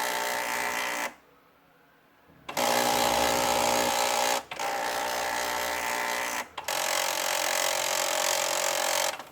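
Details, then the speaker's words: HP Deskjet F4480 printer whose carriage does not move properly, after cleaning the encoder strip and working the door sensor: loud rasping bursts of a second or two with short pauses; print carriage catching and scraping, actuator also suspected. "falamos do carrinho só tá pegando muita fazendo barulho"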